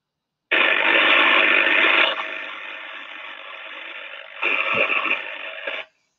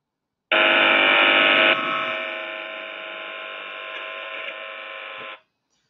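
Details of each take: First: Sensor recording of high-voltage equipment with a dense hissing crackle and sharp sparking pops, the arcing of a discharging defect that the algorithm classified as partial discharge (PD). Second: Partial discharge monitoring recording from a voltage transformer (VT) in a chamber: steady even electrical buzz with thin high tone, no crackling; classified as noise at 21 dB, magnetic noise from transforming electricity. Transformer magnetic hum.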